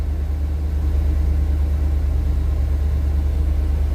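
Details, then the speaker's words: Truck engine with throttle body injection, just fitted with a new X-Mark fuel injection fuel pump and purged lines, starts and idles with a deep, steady, even rumble and no stumbles or knocks; normal idle. "Wait a minute, it's idling. Let's just see how long it runs."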